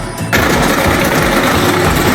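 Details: Electrolux washing machine during spin: fast, harsh mechanical clattering as the loose wash basket knocks on its shaft, a simpler fault than the suspected mechanism.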